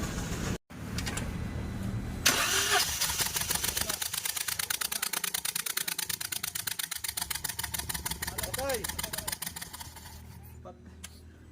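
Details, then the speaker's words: Toyota Wego engine cranks and runs with uneven pulsing chuff about three times a second; scanner shows misfire on cylinders 2 and 3, traced to cracked, leaking ignition coil; spark plugs and coils replaced. "lumabas nga dito guys sa kanya pong scanner na may palya po sa number two at number three"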